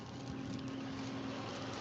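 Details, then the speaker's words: Tractor at rest with the driver out of the seat and the handbrake off: a steady mid-pitched electronic warning whine over the tractor's low rumble; handbrake-off warning. "the fast track whining because I got off without putting the handbrake on, but Charlotte's sat in it."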